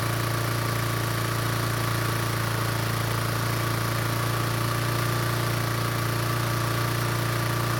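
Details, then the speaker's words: Toro commercial mower engine after fix (fuel shutoff valve found closed, choke flap repaired): strong, even low drone, no misses, surging or knocks; smooth, healthy run. "after fixing the choke flap it looks like the engine is starting just fine now and it turns out the fuel valve is also working as well now"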